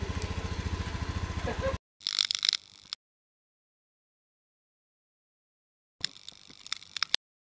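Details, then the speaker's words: Honda Beat FI scooter, idling after the drive-side (CVT) rollers were replaced: the coarse rattle heard before, already present at idle without throttle, is gone; brief, even, steady idle pulsing with no roughness or rattle, normal idle. "hasil Setelah dipasang welus suaranya wis balik enggak punya kemresek semua"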